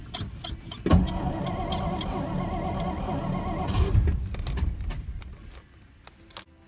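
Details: 1963 Studebaker Lark off the road since 2010: engine cranks, catches with a thump and runs ragged and uneven for about three seconds before dying; brief rough running after no-start.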